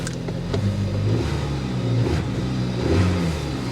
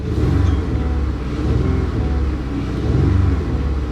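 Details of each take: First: 2014 Dodge Avenger V6 at a salvage auction: deep, even engine note climbing smoothly and dropping back with no misses or knocks; revs cleanly, healthy engine rev. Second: 2014 Dodge Avenger V6 at auction with 155,000 miles, nearly out of fuel, revved in park: a low, uneven rumble whose beat stumbles instead of smoothing out; a dead miss on one cylinder.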